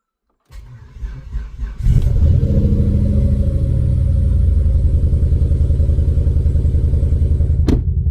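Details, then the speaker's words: Ford Focus ST 5-cylinder, new MAF sensor fitted, start with booster pack: engine cranks, catches, then settles into uneven, stumbling idle with irregular lumpy beat; misfire not solved. "Well, that's no good cuz we've still got a misfire."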